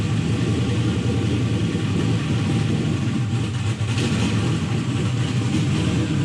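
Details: Turbo LS-swapped Mustang, fired up after a cranking fix: a deep, loud V8 rumble, steady and strong, with a brief rev and no ticking or knocking. Runs healthy.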